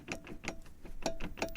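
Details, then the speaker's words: Front-wheel-drive car raised, both driveshafts jerked sharply by hand: quick bursts of metallic clunks, about five a second, indicating excess play in the differential (related to knocks on braking, shifting and pulling away). "нужно взяться за два привода с двух сторон колеса у нас получается вывешено и пошатать резко-резко пошатать видео резко шатаев и мы слышим стук"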